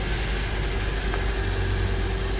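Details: 2008 Honda Element after the starter had been tapped: engine catches and settles into an even, steady idle with a low hum and faint constant tone, no stumbling; the engine started and runs normally.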